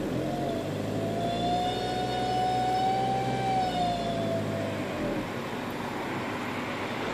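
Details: 1.9 TDI (ARL) diesel with a loud high whine that climbs, holds, then drops away with revs over the engine drone; turbo failure suspected but unconfirmed.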